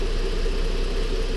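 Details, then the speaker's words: Ford Flex 3.5 after water pump and timing component replacement for P0016, hot engine: steady, even idle with smooth low hum, no ticks or rattles and no codes returning; running healthy. "But we're doing pretty good so far. Everything sounds good."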